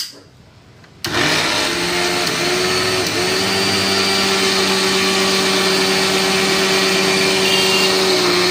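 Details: Mixer grinder that was dead, after resetting the reset button on its back: sudden start into a steady high-pitched whirr, even pitch, no grinding or stutter; motor runs cleanly after repair.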